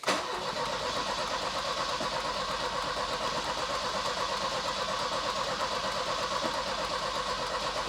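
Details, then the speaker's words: Volvo 240 cranks evenly for several seconds without firing after tank refitted with new fuel lines (ran earlier from a remote petrol bottle with old fuel); flooding suspected, plugs to be pulled to clear fuel; good bright spark. "Well, that'll be a no then. Still won't go. I genuinely think it could be just flooded now."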